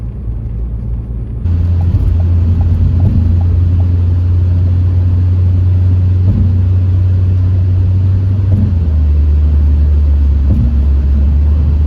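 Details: Ford Focus test drive after wheel bearing and valve cover gasket replacement: smooth even road hum with no growl or whine; wheel bearings now whisper quiet, only engine noise remains, suspected worn motor mounts.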